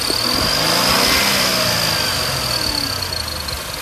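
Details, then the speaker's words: Infiniti Q50/Q60 Red Sport twin-turbo: steady high-pitched screech over the engine between 2,000 and 4,000 rpm under acceleration, fading as revs drop; drive-belt squeal, owner suspects the belt tensioner is preloaded too tight. May also squeal at idle. "the second thing is if you're getting a squealing noise between the RPM of two to four thousand rpm depending on how much gas you give it or how much of acceleration you gave the car"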